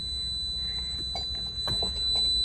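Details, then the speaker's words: Abandoned Toyota 4Runner, about 300,100 miles, no brakes, non-working water pump, no power steering: fires right up, rough-running engine under a steady high-pitched dashboard warning chime, many dash warnings active, cause unknown. "Fires right up every time. It's all kinds of pissed off in the dashboard though"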